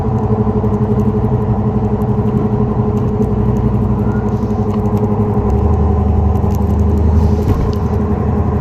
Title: 2004 neon srt4 bad wheel bearing noise